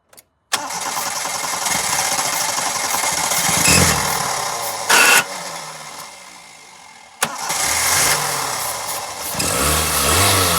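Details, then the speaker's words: Car that would not start, running only on starting fluid sprayed into the throttle body with the intake removed: catches and runs roughly, with one sharp backfire pop midway; no fuel delivery from a failed fuel pump. "as we saw when we tried to start the engine without the starting fluid the engine wouldn't crank over once we start feeding some of this starting fluid right into the throttle body the engine started to respond"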